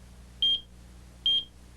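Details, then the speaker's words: AT&T Security System 8000 central controller: a pair of short high-pitched treble beeps about 0.8 s apart, repeating periodically, a low-battery warning that a transmitter's battery is near the end of its life; pressing the messages key silences them. "when a battery is near the end of its useful life the central controller will alert you with a pair of treble beeps which will sound every 40"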